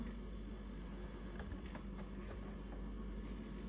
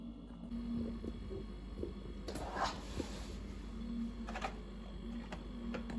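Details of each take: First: Refrigerator that buzzed intermittently, after fiddling with the box on top of the rear compressor motor: the bad noise has stopped, leaving a steady low compressor hum with no buzzing or rattle. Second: Refrigerator with steady low hum and an intermittent rough buzz from the back; a loose water drip tray vibrating on the compressor, noise dropping once the tray is secured.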